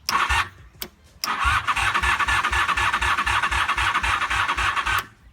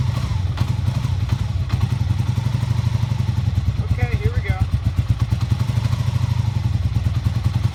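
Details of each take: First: 1988 Honda Super Magna VF750, cranking after adding fresh gas: starter chugs at about four beats a second for a few seconds and never catches; the battery has run down, slowing the crank. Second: 1988 Honda Super Magna VF750 motorcycle after clearing hydrolock, fresh gas, rear spark plugs refitted, choke on: steady, even low putter with regular firing beat, no knocks or misses, running cleanly; carburetors still need cleaning for idle.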